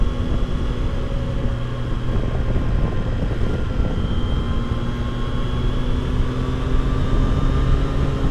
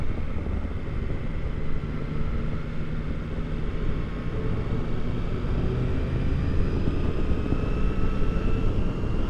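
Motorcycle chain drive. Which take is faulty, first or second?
first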